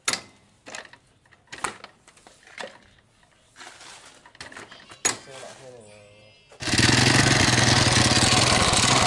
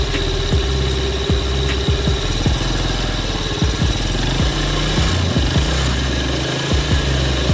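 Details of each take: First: 2006 Yamaha Vega R New engine, very rough and loud with hard, catching kickstarter; scattered knocks then a loud harsh uneven rattle under load, worn engine bearings, connecting rod suspected before teardown. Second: 2006 Yamaha Vega R New small engine after engine teardown and rebuild (previously rough, noisy wall bearing, hard kick-start): steady, even putter at idle with regular firing pulses and no knocks or rattles; engine now runs smoothly.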